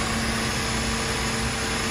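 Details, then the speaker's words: 2004 Mercedes C180 Kompressor started after a battery replacement, terminals tightened, air filter still off: starts without trouble and holds a smooth even idle with no knocks, misses or rattles. "La voiture a démarré sans problème. Donc les côtes sont serrées, le moteur tourne comme il faut."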